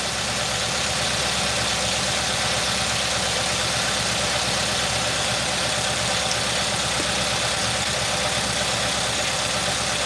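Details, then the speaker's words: 2018 Nissan NV3500 5.6L V8 with sludge, after engine flushes: uneven stumbling idle over hiss with shaking, misfire in cylinder 6; owner suspects the ignition coil, plugs good, cause unconfirmed. "it's still shaking i can tell it's misfiring yeah that ignition coil has been misfiring too long and ain't no good"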